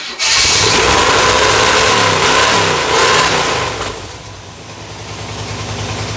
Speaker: sounds like a race car sounds like a big block yeah it sounds good